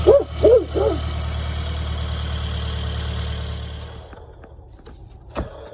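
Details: 2005 Toyota Camry XV30 at idle: steady knock about three per second that sounds like piston slap or rod knock, diagnosed as a bad water pump.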